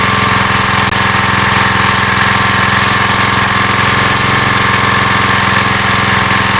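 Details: Briggs & Stratton vertical-shaft (lawnmower-type) engine on a generator salvaged from the tip, 40-odd years old: steady, even single-cylinder buzz, no misses or knocks; runs cleanly and healthy.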